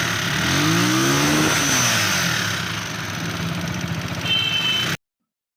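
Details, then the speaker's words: Loader 150cc single-cylinder engine: revs up then settles with loud, rough internal mechanical clatter, heavy smoke from the engine and oil from the breather; damaged piston ring lands and a burnt valve. "तो जी दोस्तों, आप देख सकते हैं जैसे इस engine के अंदर से शोर बहुत ही ज़्यादा आ रहा था और इंजन के अंदर से बहुत ही ज़्यादा स्मोक आ रहा है"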